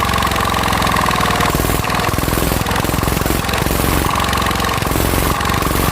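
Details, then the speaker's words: Mitsubishi NM85 diesel, about 40 years old, test-run after rebuild: hard rhythmic clatter with sharp knock each firing; oil seeping at injector seat, compression likely leaking slightly there, injector problem noted, cylinder head heavily worn. "นะครับเป็นน้ำมันเยิ้มออกนะครับก็ยังมีปัญหาจุดนี้อยู่นะครับแรงอัดน่าจะรั่วออกมานิดหน่อยนะครับ"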